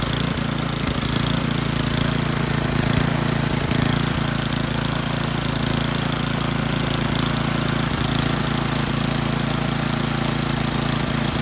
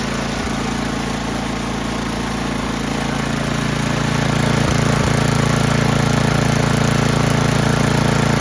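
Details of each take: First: Old Toro 824 Power Throw snow blower, 8 hp Tecumseh single-cylinder, bought not running, old gas drained and inline filter added; after priming it starts and chugs at a steady, even beat with no misses or knocks. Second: Old Toro 824 Power Throw snow blower, 8 hp Tecumseh single, long stored, old gas drained and inline filter added: runs at a fast patter with slight dips and swells, hesitating after start; Seafoam added as a precaution, cause unconfirmed.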